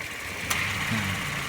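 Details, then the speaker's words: Ex-Blue Bird taxi car during AC service, engine at idle. A sharp click as the AC compressor clutch switches in, then the engine note firms slightly under load; idle rpm should rise to around 1000. Normal clutch engagement. "dia tandanya udah switching ketika switching seperti ini harusnya RPM di dalam itu dia naik ya diantara kisaran seribu lebih atau dibawa 1000"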